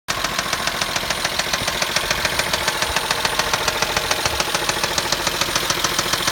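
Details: Chrysler Pacifica engine with a sharp, even internal knock about two and a half times a second over a steady idle.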